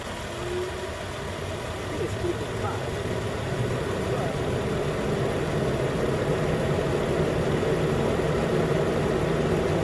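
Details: 2013 Nissan Pathfinder at 265k miles, idling after AC compressor clutch and serpentine belt replacement, about 80 degrees: new clutch clicks in, even steady low-rumble idle with AC engaged, no knocking, chirping or squeal; normal idle.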